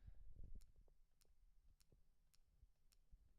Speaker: So that's just me moving the knob, and that's the sound I get.